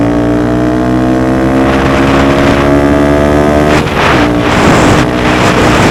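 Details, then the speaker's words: Honda Grom riding under load after DHM S1 camshaft install with aftermarket exhaust: small single revs strongly and evenly, pitch holds then drops cleanly on a shift, wind noise; holds the 60s stronger; normal running. "Boy, as you can see, we're cooking now. We're getting up to speed a lot quicker. We're holding the 60s much stronger."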